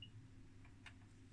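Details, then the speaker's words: 1969 HP 400E AC rms voltmeter: low hum with a few faint irregular clicks as relays in the relay box chatter when the box is touched, from a loose connection. "yeah the relays and now we're back to my point is we got some relays right in here and something is a loose connection when I just touch this box"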